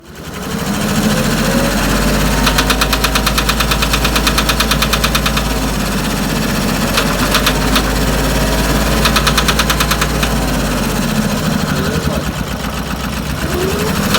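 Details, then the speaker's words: Branson 3520h diesel tractor at idle: steady rapid tapping over the low drone, like valves slapping; suspected valves needing adjustment, dealer thought rockers or valve hitting piston; before pulling valve cover to adjust. "all right so the problem that we have here is it sounds like the valves need to be adjusted as you can hear them slapping"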